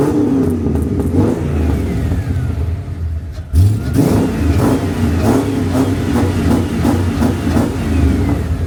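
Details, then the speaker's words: Ford AU XR8 Falcon V8, after sitting 5 years, with a second-hand exhaust and new extractors, mic outside: deep revving with a sharp ticking puff each blip from the right bank, where the old manifold gasket was reused and leaks. "There's no denying even though that has the leaky exhaust manifold gasket. I'm a dumbass. If you are doing new set of extractors, change the manifold gasket."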